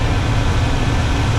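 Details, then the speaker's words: Chevy small-block 350 in a C10 with a four-barrel carburettor, one idle mixture screw turned fully in: the idle wavers and runs rough from a lean mixture, then smooths once backed out. "less fuel go all the way in starting to run rough that's all the way in there"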